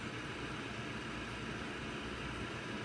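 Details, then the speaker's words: OKUP M80-A dual motor electric office chair: seat ventilation fan gives a soft, steady airy whoosh through the perforated leather, with no rattle or tick. Audible and a bit annoying, but quieter than a standard room fan; normal operation. "When you turn it on, you do hear the fan blowing and it honestly can get a bit annoying since you have to hear it."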